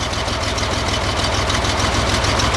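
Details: 1963 Chevy Corvair Monza air-cooled engine after valve adjustment: steady even idle beat with no valve-train tapping; running as it should.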